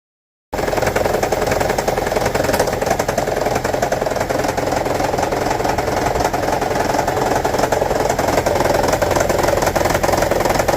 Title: Toyota Prius 1.5 Hybrid 2009: Rattling, Misfire P0304 DTC Troubleshooting